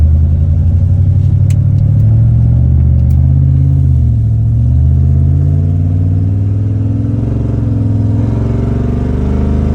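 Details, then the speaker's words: Chevy 8.1 Vortec V8 truck: deep rumble with rough warbling screech/clatter that clears up under throttle and returns when letting off the gas; owner suspects a broken flexplate. "Like, what the When I give it gas, it clears up. I let off the gas."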